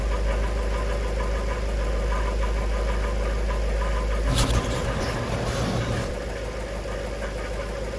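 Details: Jaguar XK8 automatic gearbox at idle after Transgo pressure regulator valve upgrade and fresh ATF: metallic rattle about three per second over the engine, burning smell in reverse; fix did not cure it, cause not found.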